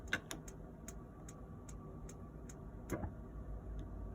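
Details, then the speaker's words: Autosleeper Talisman motorhome fridge lit on gas: faint sharp igniter ticks, two or three a second, over a quiet hum, then a soft whoosh as the burner lights and the ticking stops; normal gas ignition. "So you can see that the ignition's on because it flashes, but also you can hear it quite clearly."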